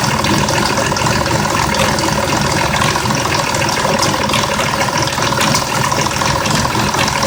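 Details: 2004 Mazda 6s 3.0L V6, 170k miles, new plugs and coils, clogged pre-cats just replaced: uneven idle with quick, irregular ticking and light rattle about three per second. Owner suspects the bank 2 VVT solenoid, which needs replacing.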